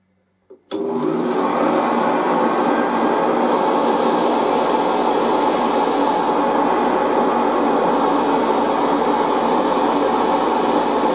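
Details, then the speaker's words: Machine, first run after all this time on its highest position off the carpet, spins up in under a second to a steady even roar with a faint whine, no rattles; running healthy, and the headlight still works. "it sounds pretty good doesn't it and of course the headlight still works"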